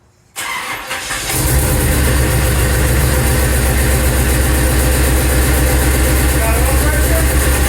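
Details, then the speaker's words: 3rd-gen Chevrolet Camaro Z28, small-block V8, first start after long storage following many failed attempts: engine catches after a stumble, steady rumble with puffing tick about four per second; sounds like an exhaust leak. "actually it doesn't sound too bad it sounds like it's got an exhaust leak on it"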